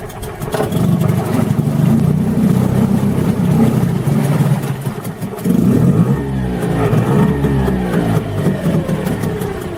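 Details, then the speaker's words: Tohatsu M5B 5hp two-stroke outboard after a new water pump impeller was fitted; steady buzz with a few throttle blips, picking up cleanly and running evenly, healthy. "Let's fire it up, see if it runs okay."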